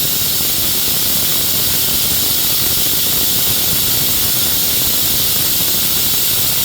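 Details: Shop compressed-air hose leaking while working on a Honda mower: steady loud high-pitched hiss without a break over faint background noise. Air hose leak.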